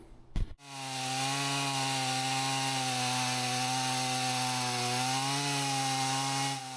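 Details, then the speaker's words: Husqvarna 162SE chainsaw, about 50 years old, repaired after not running, cutting logs into firewood: clean steady high-revving buzz that holds pitch under load with no bogging or surging; could do with a touch-up but cuts well; normal cutting. "I could do with a bit of a touchup, but um yeah, it's cutting pretty well."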